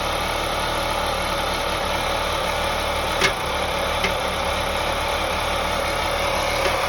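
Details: 2001 BMW 525i E39 M54 inline-six at idle: steady idle with a few sharp, irregular knocks about a second apart; intermittent knock with misfire, owner suspects loose spark plugs, unconfirmed.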